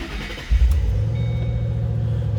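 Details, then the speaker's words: 2007 Ford Mustang Shelby GT, 5-speed, 30,942 miles: quick crank and catch, then deep, steady, even idle with no misses or knocks; normal start and idle. "a good sounding car also."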